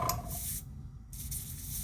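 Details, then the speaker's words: Airbrush with only hose and valve attached, compressor running: steady air hiss cuts out about half a second, returns and drops again with a thump-like hesitation; intermittent airflow cutout, cause not yet found. "There's this little, I don't know if you can hear it. It's like this little hesitation, like a thump. So something's going on there."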